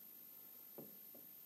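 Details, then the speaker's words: Used Volvo 850 AWD angle gear (1997–1999), bought after noise in the transmission and likely run without oil. Three dull clunks as the pinion is rocked by hand in a quiet room. Far too much pinion play, and the unit is damaged. "in the pinion that's way too much and it doesn't sound very healthy"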